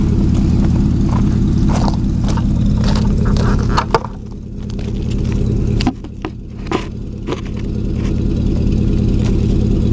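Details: 2000 Chevy 4.8 V8 truck lightly revved with four coils deliberately unplugged, running on four of eight cylinders; lumpy, uneven rumble with a choppy beat that stays rough.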